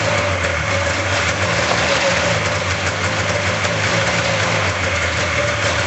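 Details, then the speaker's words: 1999 RMK 500 snowmobile two-stroke, first run after cylinder block back from machine shop, on premix fuel with bowls primed: steady even drone, no knocking or surging, smoky; runs normally. "sorry about the smoke out, but that's expected with the mixed fuel. I'm happy, it's running."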